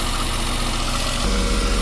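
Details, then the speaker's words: Westerbeke marine diesel generator, slowly overheating after 45+ minutes, after a flush, warm under AC load, left running to reproduce the shutdown: steady, even low drone, no knocks or surges; hoses not too hot. "All right, we're just gonna let it sit and run and see if anything happens here, because they ran for a long time prior to the thing shutting off on them."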